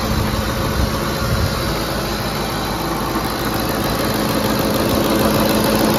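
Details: 2010 Ford F-150 5.4L 3-valve V8 idling after VCT solenoid replacement; steady even idle with faint normal valvetrain tick, no misfire or stumble.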